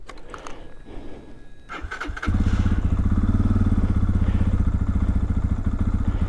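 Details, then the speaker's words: Lifan KPX 250 dual-sport single, cold start at 25°F after a hack to cure a lean cold-start stumble (white spark plug): a few cranks, then it catches and settles straight into a steady, even idle. Healthy cold start. "So far so good. Starts up. My idle's really well."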